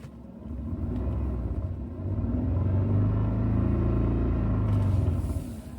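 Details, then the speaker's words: Toyota Century V12, idling stationary: deep uneven rumble and droning shudder from underneath pulsing about four times a second; completely split transmission mount letting the gearbox bounce and shake. "I'm not moving. That's the transmission mount."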